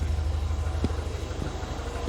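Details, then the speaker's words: Classic carbureted car with a manual choke and choke pull-down diaphragm, warm, choke off: even, rhythmic low exhaust pulse with no misses or stumbles, exhaust still slightly bluish. Normal idle. "Listen to the exhaust, that is smooth, that is rhythmic, it is nice, it's happy, happy."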